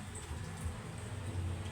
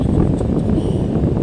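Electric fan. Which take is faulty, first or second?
first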